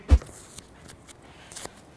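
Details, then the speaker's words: VW T6.1 door panel after insulation foam placed between plastic parts: a few dull knuckle knocks die out cleanly with no buzz or rattle; panel quiet. "You can do that everywhere in these places and then the door panel will be really quiet."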